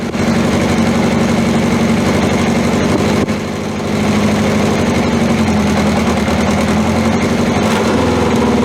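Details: 1981/82 Honda CB750 K four-cylinder, cold start before oil change, old stale gas and fuel tap left off: idle wavers and dips unevenly around three seconds, stumbling from fuel starvation; smooths once gas is turned on.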